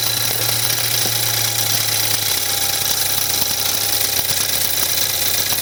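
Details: 2014 BMW 320i F30 with N20 engine on a cold start: a light, uneven metallic wastegate rattle over the idle that lessens as it warms. The electronic wastegate fault triggers a drivetrain malfunction light; turbo wastegate rattle before the rebuild.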